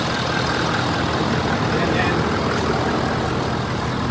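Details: Ford 6.7 Powerstroke diesel after an oil and fuel filter service and fuel system bleed, idling during the leak check: steady, even clatter with no misses or stumbles; healthy idle with no leaks found.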